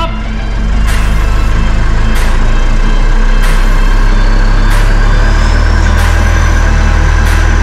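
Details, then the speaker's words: Mitsubishi L400 Delica with 70–80 km/h vibration, on a lift, wheels off ground, idling in gear; steady low drone with sharp tick about every 1.3 s, driveshaft wobbling; driveshaft to be pulled. "Well, that was fairly definitive. You can see the whole drive shaft jumping up and down, just even at idle. So the faster that this thing spins, the worse that vibration is going to get."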